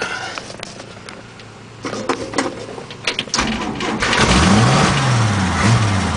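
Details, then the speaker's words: Hard-starting engine sputters and cranks unevenly, then catches after a few seconds and revs up once starter fluid is sprayed in; the extra fuel fixed the start. "Alright, going to put some starter fluid in and see if that helps out just a little bit."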